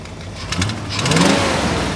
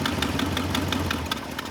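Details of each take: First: 1974 International Harvester 500 farm truck on propane, revived after 17 years abandoned: engine climbs cleanly through three quick throttle blips and settles back to idle without stumbling; normal free revving. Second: 1974 International Harvester 500 farm truck running on propane after 17 years abandoned: uneven V8 idle with faltering, irregular firing that sags as it fuel-starves once the propane regulator vacuum line is closed; engine stumbles, doesn't like it.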